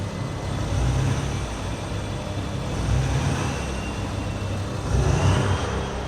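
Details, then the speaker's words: Straight-piped, emissions-deleted Cummins-powered Nissan Titan diesel revved from the rear: turbo whistles loudly, jet-like, over the rumble on each rev; owner complains of an engine noise he suspects is fuel knock. "I mean, the thing's whistling like crazy because of this exhaust. Sounds like a dang jet engine back here."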